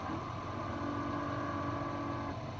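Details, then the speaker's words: 2017 Dodge Charger R/T, ignition on, mic inside glove box: faint steady whirring as the recirculation door moves, then stops; owner suspects the failing recirculation door actuator needs replacing; blend door actuator noise. "So, I think it's that recirculating actuator that needs to get replaced."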